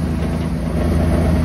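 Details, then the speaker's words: Steady low idle with a buzzy vibration on a Chevy Astro van; muffler needs replacing, its hanger is detached, and something else is still vibrating. "that freaking muffler needs to be replaced because that's not good obviously the hanger up there is not even attached to it there's something else that is vibrating"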